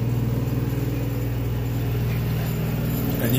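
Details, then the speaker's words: Recently replaced elevator motor losing oil despite alignment: steady low hum with a rough, even pulsing about four times a second, sounding horrible; the brass oil ring that lubricates the bearing is running dry, and oil is to be added on top of the ring. "I don't know how well you guys could hear that, but you can hear like the brass ring running dry. So I'm gonna add some oil right in here. It sounds horrible."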